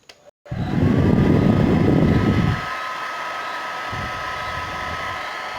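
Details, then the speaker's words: Suzuka hair dryer after repair of power switch stuck with instant-glue-like adhesive: smooth even fan whoosh on high for two seconds, then quieter steady run on low; healthy motor. "Bueno gente, ahí quedó el problema resuelto, problema solucionado,"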